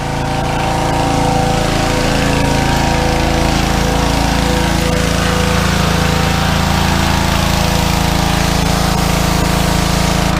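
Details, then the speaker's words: Fairly new pressure washer engine, sat over a year, after carburetor cleaning of a clogged bowl-screw jet, dried gas and oil: strong, steady drone holding even pitch under load with no surging or hunting; normal running under load. "Seems to be revving alright. We'll go and give her a test. See what happens. Well, sounds like we're cooking with gas."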